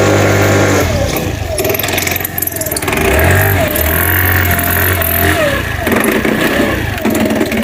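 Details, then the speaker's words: New-body fuel-injected Cappuccino 50 scooter, fault light staying on at start: uneven knocking rattle rising and falling with revs, new noise since earlier stalling; mechanic suspects tampering, engine to come down; loose flywheel key. "önce motorumuz gaz geçiyordu şimdi motorumuz böyle bir sesler çıkarmaya başladı"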